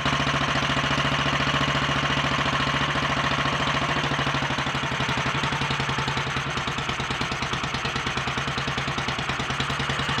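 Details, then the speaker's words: Royal Enfield 500 (No. 36), first start after top-end rebuild: high-compression 9:1 piston, shortened alloy barrel, ported head, 32 mm carb, enlarged manifold, competition cams. Single-cylinder thump slow to drop back to idle after revving. "notice how when I read it up it's a little bit slow to come back down to the tick over speed"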